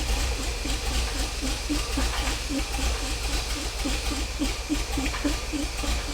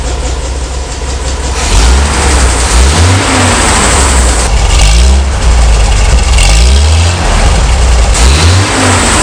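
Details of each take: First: 50-year-old petrol engine of a 1975 Bedford truck, first start, on heavy choke: uneven, lumpy beat near two pulses a second with irregular pops; running rough from ignition timing well off, improving as the timing is corrected. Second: A 1975 Bedford truck's 50-year-old petrol engine, after restoration and with the choke fully off, picks up and drops back cleanly on each blip. It has an even, smooth beat with no misfire or knock.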